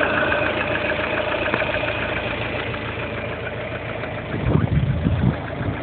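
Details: Lada Kalina, 1.4-litre 16-valve engine, at idle. Steady idle with faint irregular tapping and a few heavier knocks near the end; engine knock, source undetermined.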